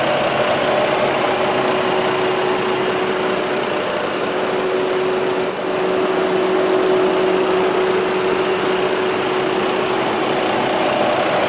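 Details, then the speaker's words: Jeep Liberty 3.7L V6, earlier diagnosed with #4 and #6 exhaust valves not opening, after replugging a loose throttle control connector: lumpy, uneven idle from a single-cylinder misfire. Needs an ignition coil. "Well, it feels like a single cylinder miss now. So it should rev up. Needs a coil."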